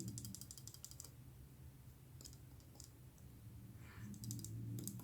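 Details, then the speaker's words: Bestech Paladin pocketknife shaken: light, quick dry metallic clicking, something loose inside the handle; owner suspects a screw or barrel under the back spacer, disassembly found no cause. "i have no idea what that is it's it's this screw or the uh barrel in there under the back spacer"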